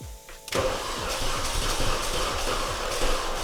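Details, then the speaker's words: Mini Cooper S with a suspected failed oil cooler, start-up attempt: quiet whirring, then a thump into a rough, lumpy, uneven idle; owner suspects coolant getting into the cylinder bores, plugs to be pulled. "So I don't know if anybody heard that, but it does not sound good. I think potentially we've got coolant getting into the cylinder bores."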